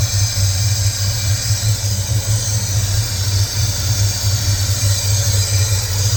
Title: Can someone please tell me what that hissing noise is